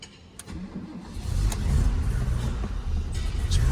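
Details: Barn-find BMW 635 CSi with no throttle response, fuel pressure 6 bar: engine labours unevenly with sharp pops, backfiring through the intake and cutting out on throttle; owner first wondered about timing.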